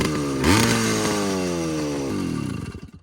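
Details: Minarelli two-stroke motorized bike with a new head, reed and intake, stock-style exhaust, on its first ride: revs climb sharply, then fall into an uneven, blubbery burble off throttle. Too rich and four-stroking; retune expected.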